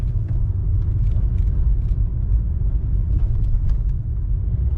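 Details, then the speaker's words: Honda Accord 8 2.4, front brake caliper knock fixed by fitting greased GAZelle caliper guide pins; driving over bumps, only low road rumble and soft tyre thumps, no sharp metallic front knock; calipers quiet. "То, что раньше было, Сталинград, всё пропало, всё чётко."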